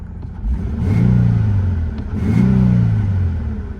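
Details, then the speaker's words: Truck engine given two quick throttle blips, note rising and falling with a coarse, uneven edge; runs rough and unhealthy, exhaust leak suspected despite seemingly stock exhaust. "oh that is not the healthiest 35 I've ever heard"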